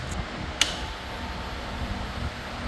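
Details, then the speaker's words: New RPS Cruiser 300 EFI motorcycle, fuel-injected, at key-on after the battery was connected during assembly. One relay click is followed by a low, steady hum as the fuel pump primes and the gauge starts up, a normal start-up. "Yep, I hear the fuel pump and the gauge started up."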